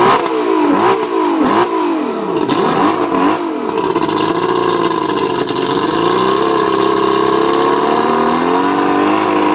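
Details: Mercury 135 outboard blipped sharply several times then held at higher revs, sounding rough and uneven; misfire, owner suspects the spark plugs.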